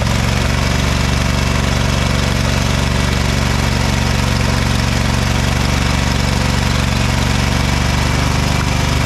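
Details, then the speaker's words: Ever Ride Hornet zero-turn mower, 25 hp Briggs & Stratton twin, sat outside a year: loud, uneven lumpy beat about three a second with backfire; one cylinder misfiring, plug gap nearly closed with carbon. "I'd say that one wasn't firing too good the Gap is about closed up with carbon so that would be part of our issue"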